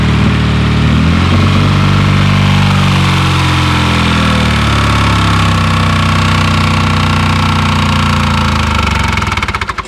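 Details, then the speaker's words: Lada Zhiguli engine after slime added to the engine and warmed up: deep heavy knocking about three per second pounds under the idle and drags engine down until it stalls; oil-starvation knock, urgent oil top-up needed. "застучал друзья надо масло доливать срочно срочно"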